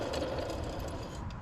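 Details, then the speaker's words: Worn alternator bearing gives a rough, gritty rattle when the removed alternator pulley is spun by hand; blackening is seen around it, and it is a cause of a squeal that began after a water pump change. "Yeah, that sounds horrible. And you can see the black around it and whatnot. That thing's days were numbered."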